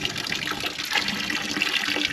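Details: Dempster windmill water pump with prime-holding trouble: steady, even splashing gush of water with no knocks or sputtering; normal water discharge.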